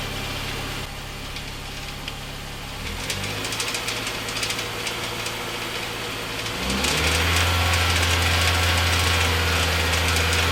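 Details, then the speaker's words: MINI R50 One idling with clutch pedal up: even rapid rattle about three per second from the transmission area, stopping when the clutch is pressed; gearbox or clutch suspected, not confirmed, before removal. "so this is the rattle that can be heard from the transmission area with the clutch pedal up with the clutch pedal to press the rattling stops so"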